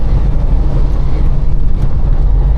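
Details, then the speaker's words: 1932 Chevrolet sedan, 327 V8, automatic, headers and dual exhaust, driving at half throttle: deep even rumble with plenty of power and no popping; beyond half throttle it pops, carburettor suspected. Smooth running at part throttle. "half throttle it's got plenty of power and it drives smooth and the motors running smooth"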